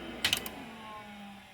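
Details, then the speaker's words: Mid-1980s LaPine Titan 32 MB RLL stepper-motor hard drive in an XT machine at shutdown: quick burst of three or four light clicks as the actuators automatically lift and park the heads, then a faint falling hum as the spindle coasts down; healthy. "we don't have to park this thing when we shut it off you should hear the actuators uh lift the heads"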